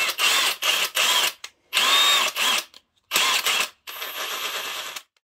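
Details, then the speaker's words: Parkside Performance PASSP 20 Li cordless impact wrench: several short bursts of rapid, even hammering with a clean steady rhythm and no rasp; normal impact mechanism operation (A2 noted elsewhere as raspy at low speed versus A1). "Je počuť, že rázový úťahovák pri nízkych otáčkach má trošku chraplavý prejav. Ten zvuk vychádza z úderového mechanizmu."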